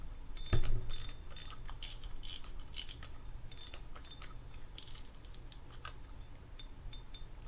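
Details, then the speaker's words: Daiwa Team Daiwa Advantage 3500 spinning reel after service and reassembly: crisp, even anti-reverse ratcheting clicks in quick bursts, no grinding; drag good, slight expected bearing noise when cranking, bail flip works. "drag feels good the crank a little bit of noise that noise comes from the bearings we expected that already bail flip works very nicely after reverse works"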